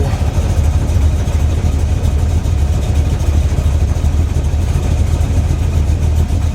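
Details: Freshly built SBC 350 V8 (aluminum 64cc heads, 10:1 flat-top pistons, .500/.510 lift cam, Edelbrock EPS intake, 600cfm 4-barrel carb), likely out of tune: lumpy idle with steady low knock in time with engine; persists with each plug wire pulled, owner suspects piston slap or flexplate.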